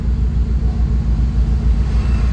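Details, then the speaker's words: 2000 Honda City, manual, after a tune-up, idling with the AC on: a smooth, even, low rumble holding steady at 900 rpm with no surging or misses. Normal idle. "Aircon tayo. Yun pumalo. Ah nagpirmis sa 900."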